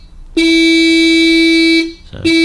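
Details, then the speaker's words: 1934 Chrysler Airflow horn after adjusting the points screw and lock nut: two short, buzzy, thin reedy blasts with a stutter between them; horn works only borderline and likely needs internal adjustment or reassembly. "leave that at that, and I know that's a borderline. It is making a noise, Yeah. but that'll be assembled wrong somewhere."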